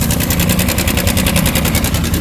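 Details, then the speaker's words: Yamaha Sniper 155 at 24,997, idling: fast even metallic rattle about eight or nine per second from a worn cam chain tensioner letting the chain slap; tensioner replaced afterward, engine then quiet. "Pakinggan natin mga boss. May dalang lato-lato. Namaralan."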